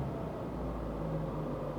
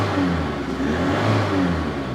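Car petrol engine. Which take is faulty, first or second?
second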